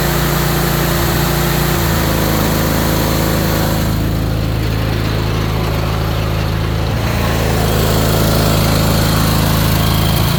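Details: Ariens Apex mower with Kohler 7000 series twin, 238–239 hours, oil checked, owner reportedly changed spark plugs and fuel filter: rough loping idle about 160 beats a minute with irregular stumble; one cylinder not firing.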